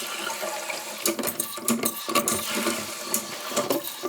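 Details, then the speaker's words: Toilet that the owner reported as not flushing: a short, thin, gurgling flush with scattered splashes and no strong rush of water, because the tank water level is set too low. "see how he's got the water too low see how it's it's too low not enough water we need to flush it"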